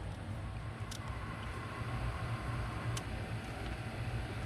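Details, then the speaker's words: Chevy 5.3 whose dash lights stay on with the key out: two crisp relay clicks about two seconds apart over a low rumble; the electrical fault's cause is suspected, not confirmed. "i think it's back in here see you guys hear that relay clicking all right"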